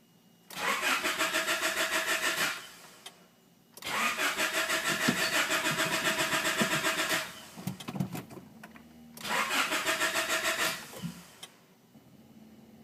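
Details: Honda H22A engine cranks but won't start: three bursts of steady starter cranking, each a couple of seconds, never catching or firing.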